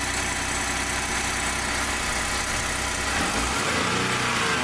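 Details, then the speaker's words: 2015 Ford F150 2.7L EcoBoost at idle after a quick fix to the vibrating pin: soft turbo hiss and whir, no metallic rattle; normal turbo noise remains. "the Ruvo still still makes noise right but the rattling is not there anymore so that's pretty good for me"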